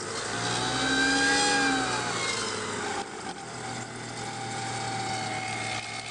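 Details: Volvo 850 after cold start: wavering high-pitched whine and chirp over idle, louder the colder the ambient temperature, easing slightly after a few seconds; the water pump was going bad and was replaced.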